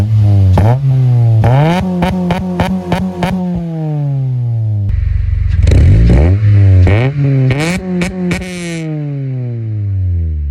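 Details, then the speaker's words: Honda/Acura K20A engine revved twice after retightening two loose exhaust bolts and nuts with new hardware: note climbs and falls cleanly, no rasp, hiss or ticking; exhaust leak fixed. "so hopefully there's no uh there's no leak anymore no rasp now time to start it up"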